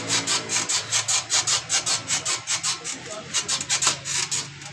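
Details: Honda CD 70 motorcycle with a dry, scratchy squeak repeating two or three times a second as the rear end is pumped down. Swingarm pivot (rear fork) squeak.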